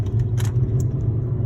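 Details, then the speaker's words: 2010 Volvo S40 test drive after replacing the front driver-side wheel hub bearing: steady low road hum with no growl or rhythmic whir, much smoother than before; faint remaining hum possibly from a tire flat spot. Normal road noise, quiet wheel bearing. "so you should have no worries but it sounds great now definitely a lot smoother and sounds a lot better than previous"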